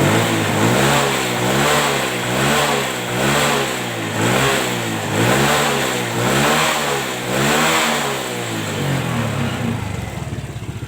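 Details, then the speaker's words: Honda Legenda motorcycle after cleaning a dirty tank that clogged the hose to the carburettor bowl and setting the standard carb's air screw: throttle blips rise and fall cleanly with no stumble or hesitation, light and smooth; running normally. "Dan kita geber gasnya kalau sudah tidak ada brebet gas terasa enteng itu sudah cukup kita Hentikan itu pasti sudah bagus"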